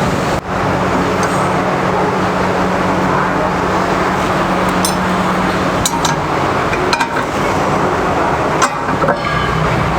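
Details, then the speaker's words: 1988 Mercedes-Benz W123: creaks and sharp clinks from front wheel while turning steering, also knocking felt at feet when driving; cause found as worn lower control-arm ball joint with dried grease and perished rubber boot. "ครับผมรุ่นw123ปี1988นะครับผมอันนี้อาการและสาเหตุที่ลูกค้าเข้ามาก็เวลาขับแล้วก็เลี้ยวพวงมาลัยมีเสียงดังลั่นที่เท้านะครับจุ๊บๆๆๆแล้วก็มีอีกประการหนึ่งเวลาหมุนพวงมาลัยอยู่กับพี่แล้วมีเสียงดังอ๊อดแอ๊ดอ๊อดแอ๊ดนะครับ"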